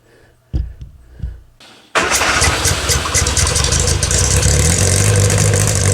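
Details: 1962 Austin Healey Sprite Mk2 with the 948cc engine, at its first start in over 40 years: a few cranks, then it catches and settles into a steady, even run with light revs; sounds healthy.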